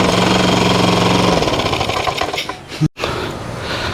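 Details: Lawn mower engine after valve adjustment, fast hammering uneven beat around four a second that stumbles, fades and cuts out; engine worn out, not fixed by valve adjustment; rough running and stalling.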